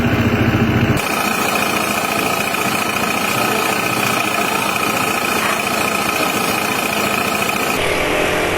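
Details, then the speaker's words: Honda PCX 160 scooter at idle: coarse, uneven rattling about three or four beats a second over the engine, a rough, noisy CVT; roller installation suspected as the cause, not confirmed. "Itu suaranya emang kasar banget lah. Normalnya kan suara mesin itu lebih halus daripada suara knalpot dalam kondisi masih baru nyis ya. Nah, tapi ternyata ada pemilik PCX 160 yang suara CVT-nya berisik sekali."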